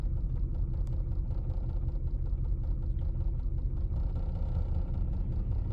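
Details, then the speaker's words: 1999 Lexus RX 300, about 310,000 miles, in drive at standstill: deep uneven rumble with irregular stumble two to three times a second, engine struggling; cylinder 6 misfire, owner suspects bad ignition coil over spark plug. "the engine doesn't doesn't sound very good see it's struggling"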